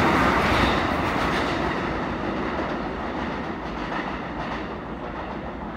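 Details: Hinotori train on a deadhead run passing by: a loud, even thump about four times a second over the rail clatter, a wheel flat spot suspected from the wheel locking and sliding.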